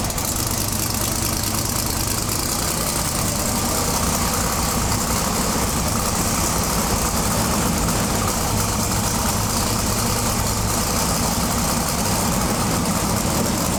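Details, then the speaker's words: Twin-turbo big-block V8 pro mod drag car with a new Turbo 400 transmission, at first fire-up after about 2.5–3 years. It holds a loud, constant fast idle that never settles. High idle, throttle suspected to be resting on its stop. "all right so let me see if I can work out what's going on the throttle try and get it down a little bit sure sounds like it's hitting the stop"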